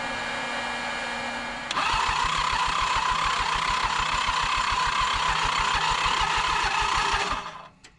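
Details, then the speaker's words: Toro Groundsmaster 223D diesel mower: starter churns at a steady quick rhythm for about five seconds without firing; severe blowby from low compression, needs a rebuild or at least rings and a hone. "Well, guys, I gave it the old college try, but with those compression numbers, there's just there's no luck for this engine. It needs a rebuild or at least rings and a hone."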